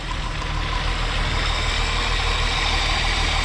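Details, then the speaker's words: 2001 US-spec VW Jetta VR6 wagon idling: a smooth, steady idle with an even low hum and no misses, ticks or knocks; normal, runs super smooth. "But seems to run super smooth."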